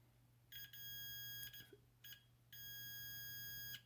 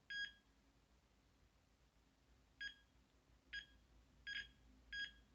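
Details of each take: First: Continuity beeper on a Carrier Weathermaker forced-air gas furnace gas valve circuit board pin: a high beep cuts in and out over a quiet hum, sounding only when the pin is pressed, revealing an intermittent cracked solder joint. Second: After resoldering the gas valve board pins on a Carrier Weathermaker gas furnace, the continuity meter gives short clean high beeps with no dropout, without pressing on the pin, so the joint now conducts solidly.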